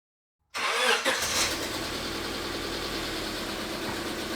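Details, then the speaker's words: Car with misfire on one cylinder: engine cranks, catches and settles into an uneven idle with a faint stumble; test coil delivers spark and the engine starts much as with the coil connected, pointing to that cylinder. "y aparte de eso, pues nos dimos cuenta que el vehículo arranca muy similar a si estuviera la bobina conectada"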